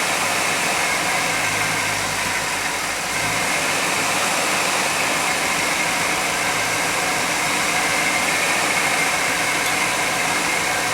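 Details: 1991 GMC Jimmy at idle: steady engine idle under a strong constant hiss with no tick or knock; a possible vacuum leak is being hunted for.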